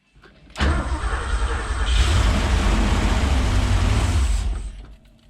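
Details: Porsche 928 4.7 L K-Jetronic V8 after sitting 20 years: catches on starting spray, roars under heavy throttle about four seconds, then dies. Fuel delivery fault suspected.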